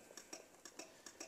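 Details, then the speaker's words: Honda Benly 110 scooter near 60,000 km that stalled while riding in winter: sharp dry clicks about four per second with no cranking; starter relay gets the signal but the starter motor won't turn. "예, 이거는 그 스타트 릴레이를 신호를 지금 보내고 있는 거예요. 신호를 보내는데 스타트 릴레이까지는 들어가는 거예요."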